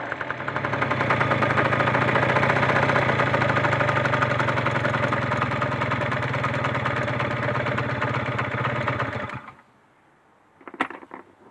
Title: Nrg knocking noise any suggestions